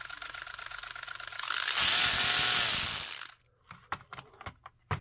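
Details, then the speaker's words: Kyosho Sand Master 2.0 RC car on the bench, stock motor before brushless 3300kv upgrade: high whine builds as motor spins up, with a rough rasp once per revolution from a misshapen spur gear with extra plastic flashing. "I think that might be our culprit cuz it seems to be doing it when it gets around to that that spot that's messed up on that spur gear"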